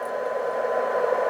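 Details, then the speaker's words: Kenwood TS-570 ham radio whose owner reported poor sensitivity, receiving a tiny injected tone around -120 to -127 at about 10 dB: the faint tone near one kilohertz still comes through steady hiss; receiver sensitivity is excellent. "so you can still hear the tone in the noise and uh the signal um what we are in in in injecting is really incredible incredible tiny you know so that is almost nothing"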